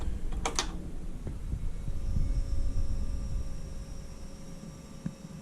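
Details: 2013 Kymco Like 200i fuel-injected scooter, after no-start repair with fuel pump reinstalled and fuel hose refitted: at key-on a faint steady hum under a low rumble and a few clicks, the fuel pump priming normally.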